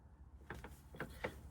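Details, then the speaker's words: Old transfer case removed from a 2000 Jeep XJ, spun slowly by hand, gives gritty clicks and ratcheting grinding scrapes instead of the smooth spin of the new unit. Worn internals are the likely problem. "you hear how grindy that is yeah it's not supposed to sound like that that might be our problem right"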